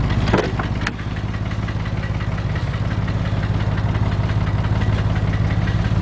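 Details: Porsche 911 (996) 2000, 110,000 km, flat-six idling: steady low rumble with faint irregular tapping about twice a second; engine knock present, source unclear.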